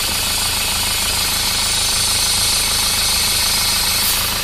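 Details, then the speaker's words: Isuzu Panther diesel idling: loud steady hiss of high-pressure air blowing from the dipstick tube, excessive crankcase pressure caused by a clogged PCV valve in the valve cover. "Setelah mesin hidup itu akan mulai timbul suara mendesis seperti ini. Ini asalnya dari sini."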